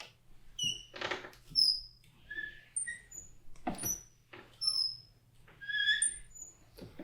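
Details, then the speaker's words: Bedroom-to-master-bath door swinging back and forth with loud, shrill squeaking and creaking from dry metal hinges, before applying WD-40. "So as you can hear, it's pretty loud and squeaky. So we're going to go ahead and we're going to apply some WD-40, and then we're going to see how it sounds afterwards."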